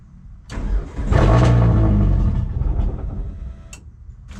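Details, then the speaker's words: Turbo Hyundai Sonata not run for nearly 3 years, fuel pump fuse pulled: steady cranking catches and runs roughly a couple of seconds on residual fuel in the line, then dies. "I'm going to call that good well that was awesome pretty much fired right up which is funny because the fuel pump fuse is still chilling there I guess that's residual stuff in the line because obviously it didn't didn't stay alive"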